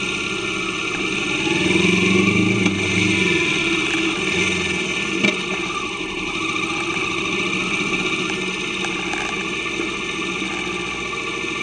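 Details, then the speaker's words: Kawasaki Vulcan S 650 riding after new chain and sprockets with properly adjusted chain tension; smooth even engine note pulling steadily with no chain slap or clatter over road noise; normal running, smoother and quicker. "I thought I'll include this part just so you can really hear the power of the bike and the smoothness of it."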